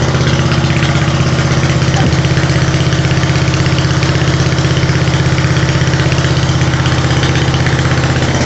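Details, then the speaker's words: Ford LT80 PTO riding mower after its destroyed engine was replaced with an 8 hp engine from a Roper tractor, first start: steady, even low single-cylinder thump at about 162 beats a minute with no misses; healthy running. "New engine is inside the Ford. This is going to be its new home. Ford is an old Lt80 PTO. And I'm going to start it up for you guys."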